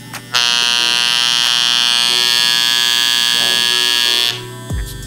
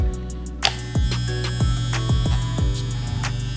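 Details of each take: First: Andis Master clipper with new blades, tension adjusting knob loosened; loud harsh buzzing rattle, much louder than normal hum, that sounds like the clipper is falling apart. Cause: loose tension; fix by adjusting the knob to set tension. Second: Andis Master clipper just reassembled with brand-new blades, tension set; steady low motor hum with a faint high-pitched ringing, typical of new blades. Running perfectly fine.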